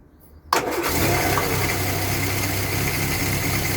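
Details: 1962 Land Rover Series 2A 2.25-litre petrol, first start after more than 10 years sitting: fires on a brief crank and settles straight into a steady, even idle; normal start and idle.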